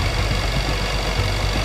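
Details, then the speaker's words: 216,000-mile supercharged Range Rover idling after owner's DIY repairs and new coolant line: rough idle with irregular "clacky" knocking from the front of the engine; owner suspects something was refitted wrong or left off. "Um, but yeah, there is definitely a sort of knocky sound. I say the best word to describe that noise is clacky. It's It's clacky."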